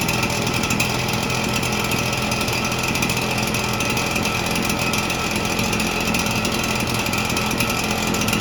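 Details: Red Max EBZ7100 commercial backpack blower, two-stroke, rescued from the dump, fuel lines replaced and carburetor repaired, started with starting fluid: steady buzzy roar with an even note and no sputtering or dropouts; normal running.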